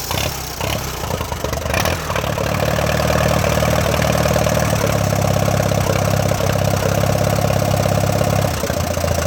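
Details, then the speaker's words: 1946-47 tractor, starting after a fuel tank weld repair: brief crank and catch, then a steady low idle with no clear grinding; owner says the starter sometimes grinds and suspects a worn Bendix drive he plans to replace. "sometimes mine grinds and that's why i just think i'm just gonna replace the bendix that's what i'm gonna do next"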